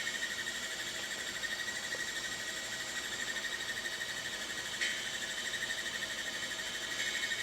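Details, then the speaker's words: Macintosh Classic II, opened up, booting its SCSI hard drive (System 7.5): thin high whine with faint irregular ticking about three a second; drive sounds rough and horribly noisy, owner plans to replace it with a BlueSCSI. "So, I'm planning to put in a blue scuzzy cuz you can hear this. It's absolutely horrible noisy."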